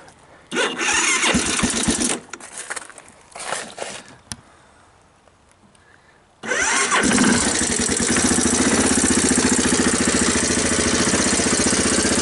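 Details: 1985 Honda TRX250 single, new battery, in neutral: after a few short starter bursts it fires quickly and settles into a steady even putter on choke; clean cold first start, owner suspects it burns oil.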